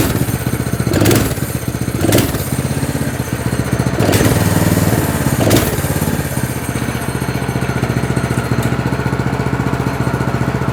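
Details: Single-cylinder go-kart engine (chain drive) ticking over steadily at an idle believed set fine, with a few quick throttle blips rising and falling cleanly; runs fine.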